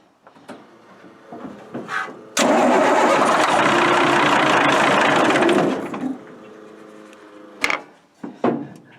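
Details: Military Deuce 'n a Half diesel truck with fuel delivery problems, cold weather: steady cranking swells into a loud rough roar for about three seconds as the diesel briefly catches on ether, then dies back; air leak suspected.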